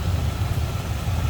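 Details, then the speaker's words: 1941 Cadillac Series 62 coupe, V8 with downdraft carb, heard at the open engine bay: low, soft, even idle burble with a steady pulse and nothing tapping or missing; healthy. "Listen to it purr."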